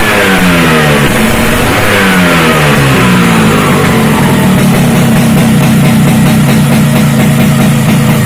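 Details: Freshly built Vespa two-stroke with reed-valve direct intake, Japanese carburettor and SRP competition exhaust: revs up cleanly then holds a crisp, even high buzz with no misfire or rattle.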